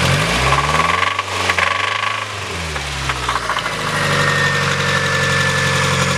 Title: Mazda Miata Rod Knock